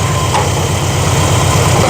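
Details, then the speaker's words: V8 after timing slightly adjusted and idle set slightly higher: deep steady idle with even regular beat, no misses or stumbles; normal idle. "Got it dialed in. Um adjusted the timing just a tiny little bit now that I have it at a different RPM. Um, slightly higher than what I had it before, but it seems to work great. Sounds good. She's happy."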